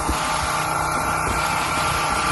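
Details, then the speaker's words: Ranch well pump, oil checked full, switched on: steady even mid-pitched hum, no knocks or surges, drawing down; wellhead gets cold so it is pumping normally. "You'll hear it draw it down a little bit. There's the wellhead. You can feel it. It gets cold, so it's pumping."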